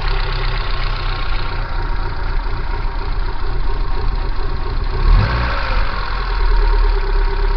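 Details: Kia Pride: lumpy, uneven idle with abnormal jerks, low thudding and a stumble near five seconds; rough idle, cause unclear.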